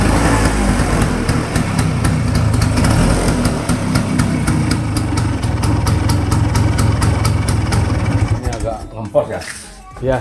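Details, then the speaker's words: Vespa two-stroke, test before carburetor service: busy putter about 3.5 beats/s with uneven stumbling, fading beat; rough, slow, stuttering running; carburetor to be dismantled and serviced. "Apakah suaranya dianggap kasar? Ini lambat. Kita bongkar, alat ini tersendat-sendat. Gagap."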